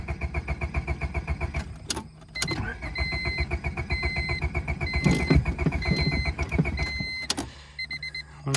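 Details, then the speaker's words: Honda Civic dragged out of deep grass, low on gas, cranked after being set level off a steep angle; steady starter churning about four beats a second with a chime pinging, never catches; no-start, cause unconfirmed. "sounds like it's gonna sounds like it wants to and we are level"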